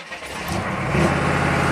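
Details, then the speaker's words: 1995 Chevy K3500 6.5 turbo diesel, hard to start: it catches and climbs straight to a steady 2,000 rpm against a desired idle of 844. High idle of unknown cause; a new accelerator pedal and pump driver module didn't fix it. "2,000 RPM. And keep in mind, desired idle is 844. We're at 2,000. Exactly 2,000."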